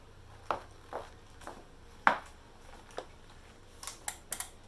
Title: ELITE DIRETO KNOCKING NOISE